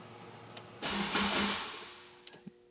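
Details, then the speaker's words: Honda Type R, starting through the stock starter button after erasing codes: cranking stops by itself and gets shorter each try (five, three, then two turns); the engine never catches. "It went, but it stops on its own. So the first time it cranked like 5 times, the second time like 3 times, and now like twice."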